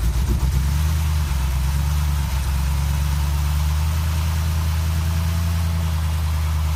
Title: Engine Problem / Speed fluctuations BMW e63 650i N62 2006